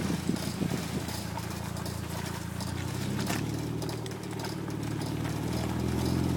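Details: Toyota MR2, unknown noise from the driver's front wheel when turning left: loose, rhythmic clicking about three times a second.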